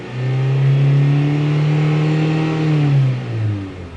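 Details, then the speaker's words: 2001 Mitsubishi Galant with misfire traced to a counterfeit camshaft position sensor: engine revved above 1500 rpm (around 2500–3000) holds a smooth, even drone with no stumble; stumble occurs only on initial throttle tip-in. "anywhere above 1500, thing runs great. Look how smooth it is. Right where it should be."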